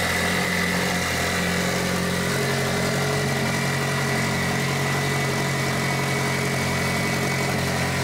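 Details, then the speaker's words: Mitsubishi Evo 8 4G63T turbo engine on the lift, at first start after a rebuild. An elevated, unchanging idle with a smooth drone that never settles. An air leak is suspected, with a hose found not hooked up. "Because it should idle normal. Oh, is that why it's idling high? Yeah."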